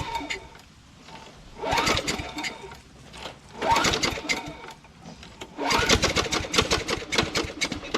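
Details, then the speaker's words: Craftsman mower with 6.75 Tecumseh Vector engine knocking badly: a rough metallic clatter swelling in bursts as it revs, worse since Seafoam was added; spark plug correct and gapped, engine later swapped for a Briggs Quantum. "will admit, that's a pretty good knock in there, you know? Definitely can't sell this mower the way it is, you know?"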